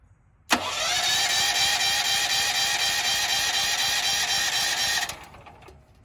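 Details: Firman generator switched to gasoline after filling with gas: electric starter churns steadily at about four beats a second for several seconds without firing; cranks but will not start, cause unknown, owner thinks a starting instruction was missed.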